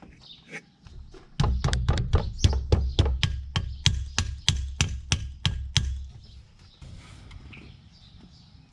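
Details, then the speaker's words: Old spot-sprayer pump on a Gator: sharp clicks about three a second with no motor hum; pump tries but won't turn, wires got hot, tapping didn't help; pump judged bad and replaced. "When I plugged it in, the wires were getting hot. I could hear it click trying to turn on, and I even tapped on it with a wrench to see if it would start turning, but it didn't."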